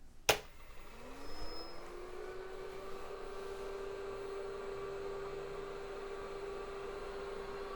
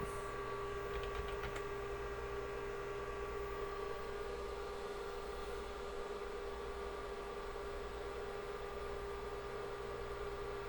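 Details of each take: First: Rebuilt IBM 5150 PC at a power-on test with the motherboard power connector left unplugged: a click, then power supply fan hum rising and settling to a steady tone, with no POST beep from the PC speaker; the board gets no power. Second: Rebuilt IBM 5150 PC during final assembly and testing, after reconnecting motherboard power and booting from the hard drive: steady, even fan rush with a constant mid-pitched drive hum, no knocking or wavering; normal running.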